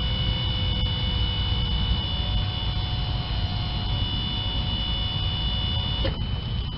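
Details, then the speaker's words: 1987 Toyota 4Runner EFI, new Denso OEM fuel pump priming with the key turned before starting: steady high whine over a low rumble, holding an even pitch under load; pump running normally. "I should be able to turn this and hear the pump running. I heard it."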